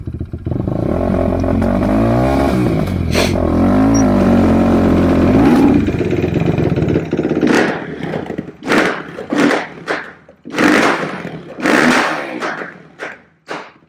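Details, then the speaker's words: Quadracer LTR450 ATV that won't take throttle: uneven revs stumbling on throttle blips, with sharp backfire pops between them. Fuel starvation; a friend advised removing the filter. "So I did play with the throttle. And as you'd see that in that last little section of the video, it will backfire."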